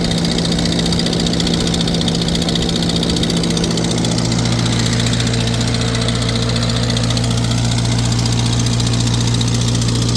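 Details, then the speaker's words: Farmall 350 row-crop tractor running warm under load on a PTO dyno, pulling 35 hp: a sharp, rapid puffing tick rides on the exhaust note from a cracked exhaust manifold that had been patched with JB Weld. "Yeah, you can really hear it that it's the exhaust manifold's got a crack in it. They tried to JB weld it."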